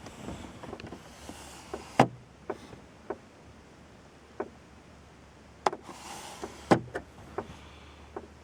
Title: 2004 lesabre tapping noise from dashboard